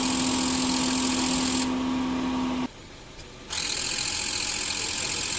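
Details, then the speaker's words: Mazda3 1.6, about 255,292 km, engine idling, hood open: steady droning hum that stops abruptly when the AC compressor disengages; loud AC compressor from worn, wobbling clutch pulley bearing wearing the compressor neck. "รถมาเด้อ3นะคะเข้ามาด้วยอาการคอมแอร์มีเสียงดังนะคะ"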